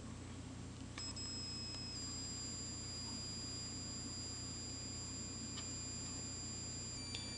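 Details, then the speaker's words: Joule thief circuit with a small scrap toroid, NPN transistor and potentiometer, run from a 1.3V battery to power a CFL: steady high-pitched whine showing normal oscillation. "you're going to hear the oscillations coming off the the toroid you're going to hear it winding in a minute"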